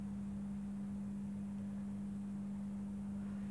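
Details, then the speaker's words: Mike Smith Metro lantern retrofitted from a CDO lamp to a GEC high-pressure sodium lamp, tested outdoors. Steady low mains hum with a faint flutter as the lamp strikes and warms up, fluttering and flickering at first: normal ballast hum. "ah yes i can hear it humming and is it firing let's see what it does"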